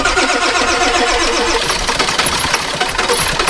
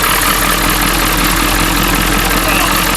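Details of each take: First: 7.3 diesel farm truck, about 700,000 farm-calculated miles, gauge reading half a tank: fast rhythmic starter churning about 220 beats a minute for seconds without catching; long crank, no start; low oil pressure or lack of fuel suspected. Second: Ford 7.3 Power Stroke diesel farm truck, sat for years, revived in winter: loud steady diesel clatter at idle, no misses or surging; idles well though the transmission may not work.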